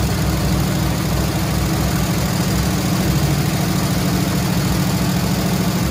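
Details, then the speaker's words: Squarebody Chevy C20 V8 with flat-tappet lifters, idling after rocker readjustment, two found loose with collapsed lifters and metal in oil: quick light clatter over the rumble, heard in exhaust; collapsed hydraulic lifters, replacement planned. "i can sort of hear a few of them trying to come around here trying i can hear it in the exhaust but they're just trying like hell but i don't know i think there's no return on these lifters"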